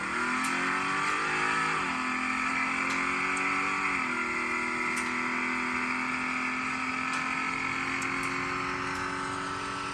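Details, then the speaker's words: Third-gen Camaro race car, repaired after sitting outside all summer with problems: under full throttle the engine pulls hard through the gears, revs climbing smoothly with no stumbling or breaking up; sounds fixed. "The car sounds good. I think it's fixed."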